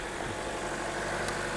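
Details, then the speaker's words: GM 1.4L turbo after PCV fix and coolant refill, just started with fuel pressure sensor disconnected (key-on primed once): smooth, even idle, steady low hum, no hiss, stumble or miss; lean-condition air leak fixed, normal idle. "Okay, wow, it started up even with the fuel pressure disconnected. Well, I did key on prime it once, but that sounds great. That sounds great."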